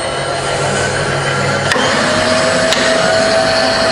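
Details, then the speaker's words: Fully rebuilt Bridgeport belt-drive milling machine with 48-inch table: X, Y and Z power feeds run all together, giving a smooth constant motor whir, faint gear hum and switch clicks; feeds healthy. "okay so powering up now on the I'm going to do XY and Z all together just to see that just to show you them all running together"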